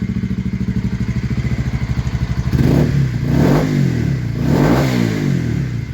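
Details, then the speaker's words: Honda CBR125R single after repairing a blown gearbox that had sounded like rod knock: crisp, even firing at steady speed with clean rises and falls in revs and no knocks. Normal running. "to a crisp sounding nice CBR125. I mean, it's not the mintest bike in the world, but it is what it is."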